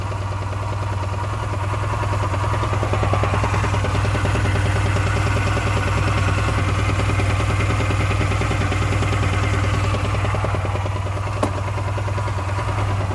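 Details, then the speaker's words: Honda Silver Wing 600 scooter, slightly warmed up at idle: a steady clattering tap, roughly two per second, over the engine hum. The noise is unchanged with the variator removed. Suspected connecting-rod or main bearings in the crankcase, not confirmed. "есть наше предположение что либо шатунные подшипники либо коренные которые стоят они в картере здесь"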